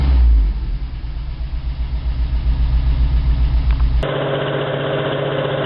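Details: 1987 Toyota 4Runner, high-mileage reman engine, cold start first thing in the morning, clutch in: lumpy idle with a rhythmic stumble in the low exhaust beat, as if two or three cylinders fire, still misfiring after 3 minutes. Cause: cheap head gasket leaked coolant, cracking the aftermarket head and fouling plugs.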